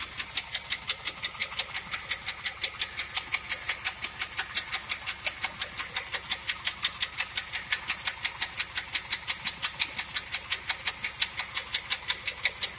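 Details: 1997 Pontiac Trans Am: sharp, very regular ticking about three per second over a quiet engine idle, clearly audible; bad engine noise, cause unknown.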